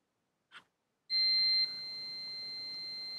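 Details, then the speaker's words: Manta SPK15GO Bluetooth speaker mainboard, power disconnected, multimeter continuity test on the first capacitor: a faint click, then a steady unbroken high beep; short sits somewhere ahead, and the owner thinks the coil is probably not the cause. "piszczy tutaj zanim Sorki za nimi nie piszczy w przednim tutaj ha Czyli kurcze zwarcie jakby jest gdzieś przed"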